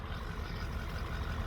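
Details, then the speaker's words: 2008 Ford F-450 6.4L Power Stroke diesel, about 20 psi compression on cylinder 8: rough, lumpy idle with uneven low beat, sounding like a dying engine before limp mode; misfire from low compression in one cylinder. "well you can kind of hear the misfire she's got that ain't nothing until it kicks into limp mode it sounds like a six liter that's dying"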